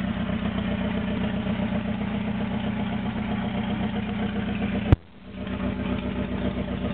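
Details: Toyota AE86 with naturally aspirated 4AGZE on a re-pinned bluetop harness, ECU, injectors and fuel rail, no exhaust past the downpipe: uneven, lumpy idle with loud open-pipe rasp and a brief stumble midway; rough idle, cause unconfirmed.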